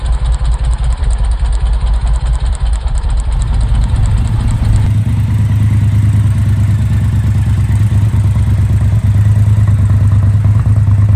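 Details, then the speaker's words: Triumph Bobber Bonneville 1200 with rough running, worse in colder months: uneven lumpy idle with irregular stumbles about two per second; cracked, too-small spark plug cap rubber arcing to the engine, fixed by replacing the plug caps. "so what you basically saw there was um spark plug cap uh is arcing on the engine so the sparkk isn't actually getting through to the spark plug"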